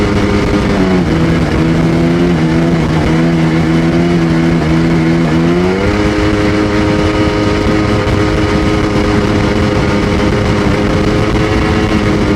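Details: Sea-Doo GTX DI 951 two-stroke rebuilt with new parts, test under load: buzzing mid-rev pitch stumbling and lifting unevenly, skipping right at 4200 rpm as RAVE exhaust valves open, still reaching full rpm; owner suspects an expanding hose.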